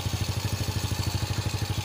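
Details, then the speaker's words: Honda Supra X motorcycle after repairing broken cam chain tensioner: even regular thump around twelve beats a second, no rattle, much smoother than before; normal idle. "Jauh lebih halus daripada sebelumnya."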